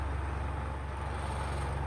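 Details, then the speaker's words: Electric fan, noisy with weak airflow after earlier repair: steady heavy low buzz with trembling rattle, strong vibration; failing capacitor suspected as cause. "oh naririnig niyo naririnig niyo yung yung parang nanginginig anan nag-vibrate siya na nag-vibrate lason nagba-vibrate siya"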